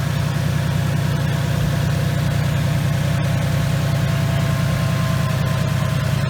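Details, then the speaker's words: 2019 Mustang GT Coyote V8 with a Whipple Stage 2 supercharger, checked for typewriter tick at idle: smooth, deep, even rumble with no ticking; the quietest Coyote heard, normal idle. "but let's listen to it and see what it sounds like guys this is the quietest gentry coyote I've heard yet"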